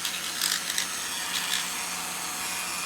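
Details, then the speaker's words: Battery-powered Halloween flying bat toy: thin, high whirring buzz with faint clicks as the small motor spins but the wings stop flapping; owner suspects a failed plastic gear inside. "the wings actually stopped going up and down and it sounded like the motor was spinning in there so my guess is is that now there's some plastic gear or something in there must have uh gave out"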